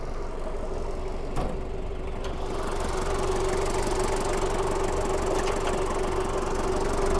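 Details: 1997 Daihatsu Taft Rocky, recorded at the engine bay: a steady diesel idle with an even, rhythmic clatter and no misses or surging; the engine is sound with no smoke.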